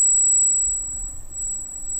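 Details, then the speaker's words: Freshly installed Arris CM2000 brushless gimbal powered up: piercing, steady high squeal from the gimbal motors over a quiet room; whine is part of the setup. "all right that's the heiress you can hear it squealing like crazy"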